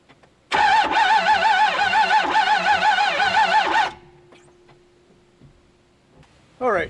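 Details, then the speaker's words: Ford F250 6.4 diesel, considered dead: the starter churns unevenly for about three seconds but the engine never fires. Heavy blow-by and no exhaust flow point to internal failure; an open valve is suspected. Unconfirmed. "sounds like a valves open or something like that he wasn't sure about it but as far as it's making a noise that it shouldn't normally make"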